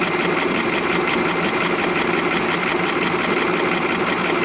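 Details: 2005 VW Polo 1.4 petrol with 84,810 miles, recorded both cold and hot: light, fast ticking over the idle that keeps pace with the engine; source of the clicking unknown.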